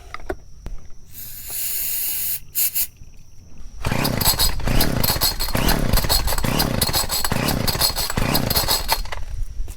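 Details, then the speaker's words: Chainsaw with clean air filter: repeated rasping pull-cord strokes with no firing; won't start, so the ignition coil and spark are checked next. Spark plug gap found too small. Cause not confirmed. "if it doesn't start with the starting fluid you move on to the ignition coil check for spark"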